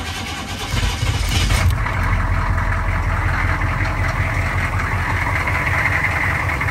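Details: 1984 GMC Suburban 6.5 Detroit diesel cold start: key on, pump running, glow plugs warmed about 10 seconds, short crank, then catches and settles into steady even diesel clatter at idle; healthy.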